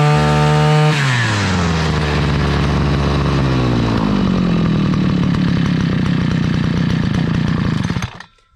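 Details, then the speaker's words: Chinese two-stroke brush cutter after carburetor cleaning, new crankshaft seals, fuel hose and filter, and adjustment; drops from high buzz to smooth steady idle, then shuts off cleanly via choke. Normal running after repair. "тепер вже її заводив відрегулював все працює шикарно і чітко"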